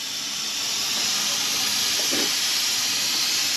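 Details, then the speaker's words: 1962 Ford Falcon, long-stored, after new brakes, on the road and running hot: steady high hiss like pressurized steam with no engine note; coolant escaping through a hole in the radiator. "Yeah. We got a hole. We didn't make it back home."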